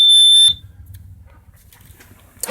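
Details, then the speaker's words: 1985 Sea Ray 270 boat, cockpit alarm for bilge water, fire or fumes under the seat tested: loud steady high beep for about half a second then cuts off cleanly; alarm works normally. "underneath here we have uh the alarm system this is that'll alarm you for bilgewater fire or fumes that works"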